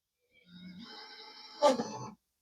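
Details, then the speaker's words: Xbox One S, very dirty, disc drive jams on loading a Gears of War 4 disc: thin whir climbs as the drive motor revs, then scraping as the disc won't go in; owner suspects something stuck inside. "If I get out a disc, Gears of War 4, if we try to put it in, it gets stuck. It really revs up."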